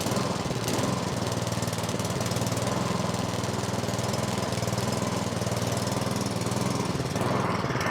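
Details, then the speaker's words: Snowblower (MTD) single-cylinder engine, about 2–3 years old with roughly an hour of runtime, started on choke at half throttle after sitting with ethanol fuel: uneven, lumpy beat with dips; owner suspects fuel starvation or a plugged carburettor pilot jet. "It might be starving for fuel. There really isn't that much in there. And if that's not the case, it's the pilot jet is plugged up."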